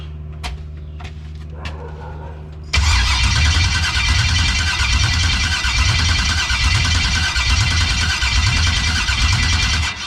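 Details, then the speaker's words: 1989 Chevy (box body) with new starter, external fuel pressure regulator and filter, no-start: a few clicks then a heavy labouring crank about four beats a second that drags and fades as the battery weakens. "All right, the battery getting weak."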